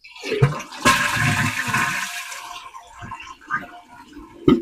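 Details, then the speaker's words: Running toilet flushed while checking for leaks: strong rushing flush for about three seconds, then tapering to quiet refill trickles; flushes cleanly and normally. "We're going to flush it maybe once, twice, three times and check for leaks."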